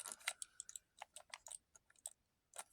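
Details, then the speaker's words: Cheap PlayStation gamepad, analog sticks moved by hand: dry, scratchy irregular clicks and rasps as the sticks' springs rub against the potentiometers, one of the worst-quality pads, shell creaking. "nasty feeding sticks I can hear I can hear the Springs rubbing rubbing in between those potentium"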